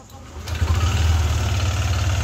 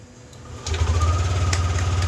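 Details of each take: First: Yamaha NMAX V2 scooter at idle: deep, steady, loud rhythmic knocking, a rattling clack rather than the rough sound of camshaft or rocker-arm bearings; engine to be opened. Connecting rod knock. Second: Yamaha NMAX V2 scooter, after overhaul for a noisy ticking engine knock (cylinder block, piston, rings, valve seals and crankshaft replaced), fires up and settles into a steady, even low putter with no knocking or rattle; quiet again.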